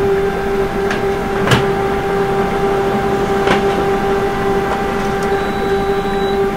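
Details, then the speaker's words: Canon MF645SC printer on Ubuntu Linux, printing after a "could not start printer" configuration error was fixed: steady motor hum, constant mid tone, soft paper-feed clicks; normal printing. "okay you can hear now the sound of the printer the printers what the printer is printing"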